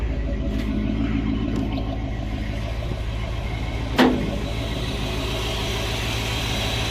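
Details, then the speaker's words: 1970 Dodge D100 pickup V8 after cam swap with DLC lifters and cam break-in, no PCV valve yet: steady, even idle with a low, smooth beat and one brief click, no knocks or ticks; normal idle. "Everything's looking good, sounding good, running smooth."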